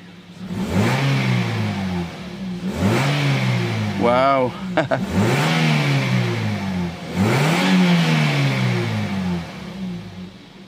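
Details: A Toyota Vios with vibration and delayed, weak pulling, after four new Denso spark plugs were fitted (ignition coil also checked), revs cleanly to about 2000 rpm three times, rising and falling smoothly with no misfire, stumble or shake; it runs healthy.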